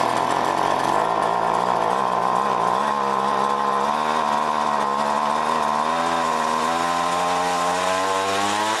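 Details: John Deere BC1600 two-stroke trimmer (Zama H46 carb), sat unused two-plus years, cold-start test run: high buzz whose pitch wanders and climbs slowly, never a clean full-throttle scream; short of full revs, owner suspects carb goop.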